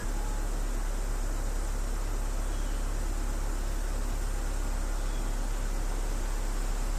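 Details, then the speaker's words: Engine idling after Marvel Mystery Oil added for a sticking, ticking lifter (oil likely overfilled): steady low drone with no ticking; lifter knock stopped immediately. "it's not ticking the lifter stopped knocking immediately nice"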